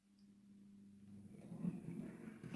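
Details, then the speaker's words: Hornby R2959 Thompson L1 2-6-4T model locomotive after greasing the worm gear, gearbox cover refitted; soft, steady motor whir with no grinding or binding, now running smoothly. "Yeah, that's sounding a lot better. Just greasing that worm gear has made all the difference."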